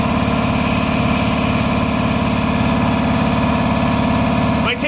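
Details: Repaired 400V V-twin air compressor, lightly used, once stuck near 50 psi: even, steady twin-cylinder chug under load past 100 psi, no knocks or leaks; pumping normally.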